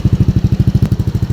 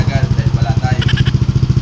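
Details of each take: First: Yamaha Aerox V1 scooter after repair of misfiring, no idle and stalling; even regular thumping about twelve beats a second, no misses, check engine light now off; idling cleanly after running a while. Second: Yamaha Aerox V1 scooter, CKP sensor already replaced at another shop, still misfiring with no idle; uneven stumbling idle thumps that skip and sag toward stalling; head cover O-ring leak found, valves and idle actuator to be checked.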